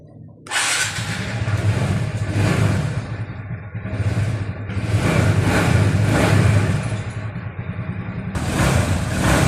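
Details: TVS Ntorq 125 scooter after timing chain replacement, timing set and tappets checked: starts and revs in smooth blips, note rising and falling cleanly with no chain noise, ticking or rattle; normal running.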